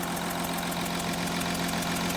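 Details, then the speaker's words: Audi Q7 3.0 diesel with P0272 cylinder 4 misfire and P0087 low rail pressure, heard under the hood: steady idle, not misfiring, with a sharp rhythmic puffing tick; compression escaping past a leaking cylinder 4 injector copper washer; injector seal compression leak. "I hope you can hear this there's a compression liak on this four cylinder it looks like the uh the injector copper washer on this cylinder is leaking"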